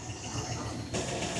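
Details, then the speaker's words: 1961 Buick LeSabre nailhead V8 on first start after sitting, running on gas from the tank despite a fuel leak, before water is added: deep, steady burble with an even beat and no knocks or misses, idling smoothly and healthy. "And then here's what she sounds like. So, that's not bad. She sounds pretty good."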